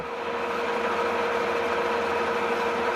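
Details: Vintage Cincinnati metal lathe that sat for years, testing its taper attachment: a steady, even hum with a clear mid tone and no knocks or grinding as the carriage travels. The mechanism works properly.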